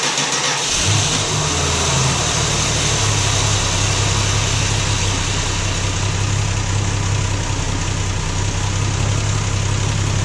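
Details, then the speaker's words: Valiant Slant Six, cold start after seven months sitting over winter, started in neutral so the transmission pump primes (no pumping in park); catches within a second and settles to a steady, even idle with no knocks or slipping: normal cold start. "You hear the transmission pump kick in, I got it in neutral. If these have been sitting for a while, you always want to start them in neutral because the pump doesn't pump in park."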